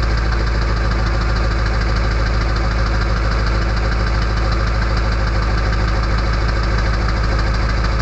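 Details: Early 1999 Ford F-250 diesel, cold start at 34°F on high idle with the EBPV closed, which gives a loud whistle: steady fast diesel clatter with evenly spaced knocks and no misses; normal cold-start high idle.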